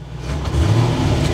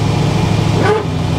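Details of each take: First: Barn-find Corvette C4 ZR-1 after new O2 sensors and a performance chip: sweet smooth idle, but a slight bog just off idle on throttle blip; owner thinks it needs to calibrate itself, not confirmed. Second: Barn-find Corvette C4 ZR-1 V8 idling after new O2 sensors, a performance chip and a damper check. Even, smooth low rumble with no misses or hunting; bogs slightly just off idle, possibly still calibrating. Normal idle.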